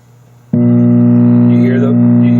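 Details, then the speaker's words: MCR stack original power supply, powered on: loud steady low buzz starts instantly and holds constant, changing as 5 V (VR102) is adjusted, louder with higher voltage; ground loop hum traced to J4/J5 connectors. "hum, and now I'm going to adjust this right here, and you can see it, you can hear it change a little bit as I go down in voltage. If I go up in voltage, it gets louder."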